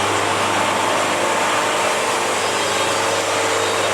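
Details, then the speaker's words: Bandsaw sawmill cutting a log at fast feed: steady, even blade roar through the log with no bogging, labouring or pitch drop; cutting cleanly with a very smooth cut. "thanks for visiting our Sawmill this looks like this could be a nice one there's the sound of the blaze he's running"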